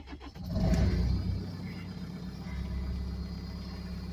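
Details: Case TR310 diesel that would not start due to partially unplugged injector wiring harness connector (injector open circuit codes), after plugging it fully in: brief cranking, then catches and settles into steady low rumble; normal start.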